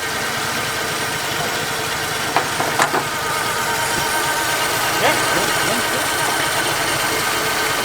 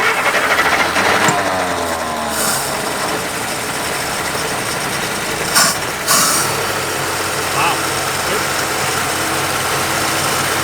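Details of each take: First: 1950 Plymouth six, started only every year or two, after the tune-up with new Econoline plug wires: soft, steady, even idle with a faint hum and no misses. The weird humming is possibly the water pump, unconfirmed. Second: 1950 Plymouth six-cylinder, long sitting, fed gas by pouring, idling at 620 rpm: slow, lumpy idle with an uneven chuff and shaking; possible misfire.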